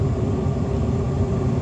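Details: Trane propane furnace, five burners, after the flame sensor was cleaned and the burner fronts sanded: steady low roar with a constant hum, no popping; lit and firing normally, though burner assembly replacement recommended.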